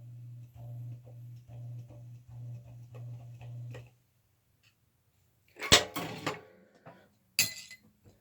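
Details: Sears-Kenmore box fan reinstalled in its cage after screws, found over-tightened, were backed off, running: low motor hum with a regular tick about twice a second for four seconds, then it stops; ticking still the same, cause unknown.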